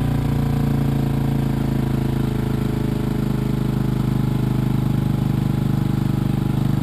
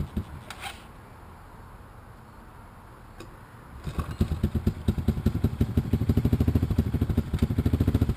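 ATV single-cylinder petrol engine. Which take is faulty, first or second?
first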